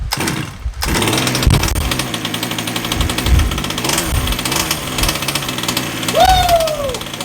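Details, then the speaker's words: Redcat Rampage XT RC monster truck two-stroke engine after new carb and freshly gapped NGK CMR7H plug (0.025 in): harsh buzzy clatter with soft blubbery edge, brief rising whistle; slightly rich, low-speed needle to be tweaked. "I mean it sounds a little floppy which is good that means it's running a little rich I can I can tweak the low"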